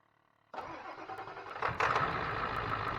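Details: 2000 Ford F250 7.3 Powerstroke diesel, first start after replacing the failed turbo (KC Turbos Stock Plus) and fixing the intake heater: brief crank, clean catch, even idle with steady clatter, no whistle or misfire; healthy start.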